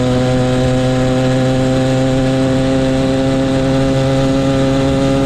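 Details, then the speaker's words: Motorized bicycle ("the Mule") small two-stroke kit engine, brought in for a no-start; loud, steady high buzz at constant speed with no misses or knocks; running cleanly before teardown, which later found fuel in the float and a thin clutch pad. "all right sounds good"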